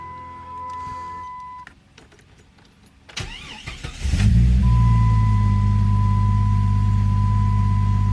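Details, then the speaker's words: 1997 Jeep Grand Cherokee 4.0 with 236,000 miles starting after a bad ignition coil was replaced (code P0351): a brief crank, then a steady, even idle with no shaking or missing, and oil pressure good. Normal start and idle. "No shaking, no missing. Everything's gone. Runs like a top. Runs smooth."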